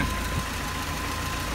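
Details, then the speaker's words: Land Rover Series 3 engine idling: uneven, faintly stumbling beat with shaky roughness, a lot of vibration and slight splutter; owner unsure if normal, cause unclear. "don't know how much vibration is actually normal that's still splattering a little bit"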